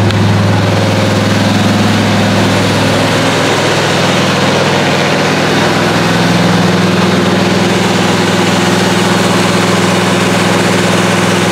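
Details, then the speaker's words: 1977 Malibu during cam break-in after start-up; fast, steady high idle with slight pitch settling and an even, smooth beat; engine sounds healthy. "Obviously, this car does start and run. It actually doesn't sound bad."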